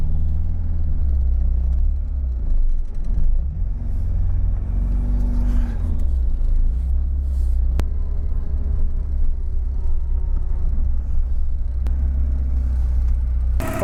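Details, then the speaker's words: Porsche 944 engine running smoothly after no-start trouble: an even, steady low rumble with slight swells as the throttle moves, and no misses or knocks. The owner suspects wiring or injector supply only at starting. "So when it runs, this engine runs really nicely."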